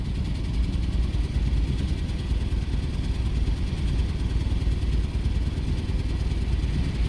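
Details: 2006 Jeep Commander 4.7L V8, P0300 code, engine computer already replaced with same result, heavy smoke on start: deep choppy idle stumbling unevenly, miss shifting between cylinders; random multiple cylinder misfire, cylinder six misfire also logged.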